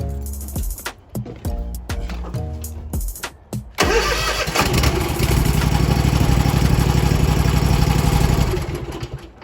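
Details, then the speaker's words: Scag Liberty Z mower after ignition switch replacement, previously would not start: starter cranks briefly, then engine catches and settles into a steady, even run, with music in background; a healthy start. "and that my friends of YouTube is what I call success [Music] we're cranking up got power"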